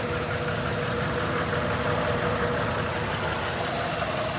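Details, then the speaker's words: Ford BA Falcon XR6 with the Barra inline-six at a seller's inspection, giving a lumpy, uneven idle with irregular stumbles, running really rough with a miss; a broken or chopped wire was spotted, cause unconfirmed. "running a little bit rough. What do you reckon? It's running really rough."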